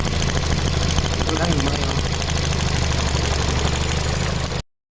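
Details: Ford Fiesta idling unevenly with an irregular stumble about three times a second under the engine drone; misfire detected at idle, transistor ignition part suspected but not confirmed.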